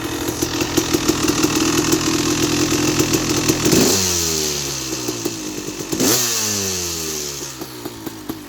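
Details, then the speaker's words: 2000 KTM 380EXC two-stroke, sat for a few years, previous owner rebuilt most of the engine, carb cleaned and fuel flushed, PWK 38 carb, FMF pipe; first start-up: crisp raspy idle with two clean throttle blips, slightly smoky; runs normally. "hmm there runs alright new"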